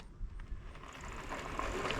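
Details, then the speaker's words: Mooncool TK1 folding electric trike hub motor climbing gravel after stuttering on overgrown trail (owner unsure if overheating or terrain): even motor whirr with light mechanical ticking, no stutter or cutting out; running normally now. "No, it's working fine now, but give it the beans and try to make it up this gravel."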